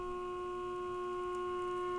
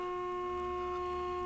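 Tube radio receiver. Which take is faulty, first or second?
first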